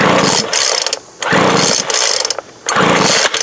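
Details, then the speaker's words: 2007 Sears Craftsman 25cc blower after plug swap: three quick pull-cord bursts, brief rattling whir, turns over but never fires; owner suspects no fuel reaching cylinder, and the plug is found dry. "Make sure we're getting fuel into the cylinder. See if that plug is wet at all."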